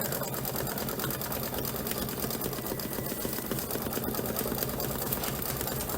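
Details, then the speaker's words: Embroidery machine stitching; fast, even chatter with clean rhythm, no thumping or catching; normal stitching. "Yeah, I can see a nice, it sounds much better."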